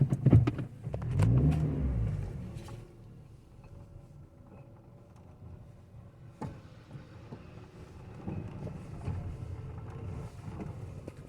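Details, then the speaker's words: 2018 Toyota Etios 1.5 driven through a pothole; a few sharp metallic clacks, one per bump, over low road rumble, like something loose knocking metal on metal, clicking on both sides; front suspension clunk, cause not yet found. "Parece que tem uma coisa batendo ferro com ferro solto Ó."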